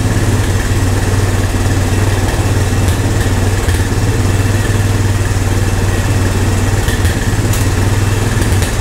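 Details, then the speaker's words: Old Honda three-wheeler/ATV revived with only fuel after sitting. Steady even low thump of small single idling smoothly, no knocks or stumbles; normal idle, owner thinks idle sits a little too low. "that's good that's promising thank you I think my idol maybe sit a little too low thank you"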